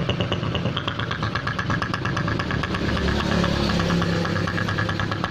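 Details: Honda Supra X125 idling rough with a snoring sound, caused by the head breather hose cracked right at the clamp. Idle stumbles with an uneven, snoring chuff instead of a smooth purr; rough idle.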